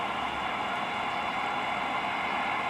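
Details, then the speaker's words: Cobra 2000 CB radio with no receive light and stuck meters, fed strong RF generator signal: constant loud rushing hiss where strong signal should be quiet; receiver hiss on strong signal, cause not yet found. "there shouldn't be any noise it should just be strong quiet"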